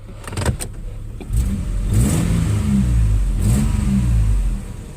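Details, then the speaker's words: Nissan Xterra 3.3 after replacing the bad injector that caused the P0306 cylinder 6 dead miss: deep engine note swells and holds through a rev, even with no stumble or skip. Running cleanly on all cylinders. "Oh cliff I think you can hear it running and you can see it's pretty smooth you know no you can't plate probably tell it but"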